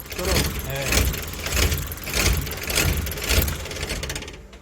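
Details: Chevrolet Labo LPGi LPG delivery truck, about 200,000 km, short city trips, started cold after long parking with no fault codes: uneven idle surging about twice a second; rough cold idle.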